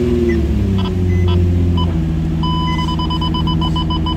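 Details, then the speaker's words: Nissan 350Z/Infiniti G35 idling after installing the factory brake booster check valve into silicone vacuum hoses. Low even idle with no whistle or hiss, a chime pinging over it; no vacuum leak, and the booster works. "So we're going to start the engine, make sure that the valve is working properly."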